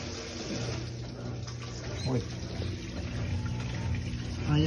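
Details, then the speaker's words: Mabe Aqua washer on spin after a new drain pump replaced one with a broken impeller blade that only buzzed. A steady low motor hum under rushing, gurgling water draining freely, with no strained buzz. Normal drain pump operation. "zumba la bomba cuando zumbaba el zorro bastante ferte Ah está desaguando la otra bombita"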